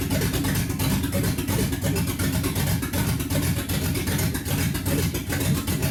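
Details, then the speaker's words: 1969 Ford Mustang 302 small-block V8, first start after restoration: lumpy, uneven stumbling rumble after cranking and a small fire from residual fuel; owner suspects two cylinders missing and timing way off, possibly flooded; misfire, rough running. "d yeah I think we're missing a couple cylinders oh my God it's started there we go"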